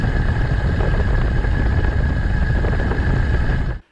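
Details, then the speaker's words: Electric bike hub motor riding on the road at high rpm, full speed: a faint steady high whine under heavy wind and road rush. Ordinary, normal hub motor noise. "we can also hear a similar noise when running the bike at high rpms on the road"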